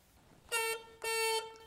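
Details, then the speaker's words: 1966 Yamaha YL1 Twinjet, 100 cc two-stroke junkyard bike, horn tested after WD-40 on the switch brought lights on: two short, clear, fairly high bright toots; horn works. "Es un claxon muy tierno."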